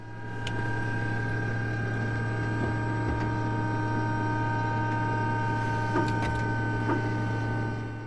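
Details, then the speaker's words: Douglas DC-6B during incoming ground run for annual inspection, on ground power: steady low hum with thin whine; emergency hydraulic pump running normally, building hydraulic pressure (normally 3000 psi) to set the parking brake. "That sound that you hear now, it's the emergency hydraulic pump. We build up some hydraulic pressure and then we can set the parking brake."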